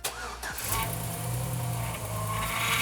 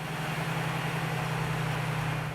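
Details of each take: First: 2007 GMC truck with 4.3 engine running, groaning whine rising and falling from a noisy power steering pump; belt, lines and fluid inspected, pump judged bad and replaced. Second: 2007 GMC truck, 4.3 engine, power steering pump after flushing and vacuum bleeding: steady idle, even low pump hum, no groan or whine steering lock to lock; flow, pressure and bypass valve normal.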